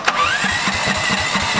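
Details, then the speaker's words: 420cc lifted off-road go kart with homemade snorkel after driving into deep water, cranked about 20 minutes: uneven chuffing that never catches, sputters, backfires out the intake and dies; likely water ingestion. "it doesn't want to start but look we've been cranking over for the last 20 minutes and we can't get anything out of it we can just get it to sputter and then it backfires out of the intake and dies"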